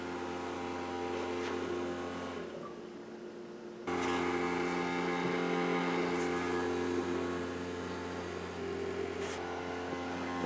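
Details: Used Xbox Series X, disc drive after cleaning and reassembly: loud, steady whirring with a rattling edge while the disc spins; still too loud, owner suspects loose parts as many screws were missing.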